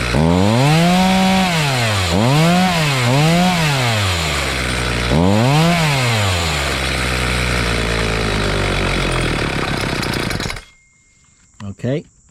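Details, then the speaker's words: Homelite 4218C chainsaw during carb low-speed screw adjustment (high side fine, screws earlier fiddled with): revs and sags in uneven surges about twice a second, never steady, then dies; starved for fuel, low screw set lean. "not enough and when you turn the screw you're not giv full turns you're giv a quarter of a turn an e of a turn"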